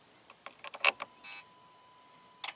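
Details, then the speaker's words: Chrysler Crossfire, key off, power fed by hand: sharp relay clicks and a brief buzz as the electronic modules wake up; afterwards it starts from the key and shifts out of park. "you heard something wake up there. So my test light, my little test light from ground, we have power here now."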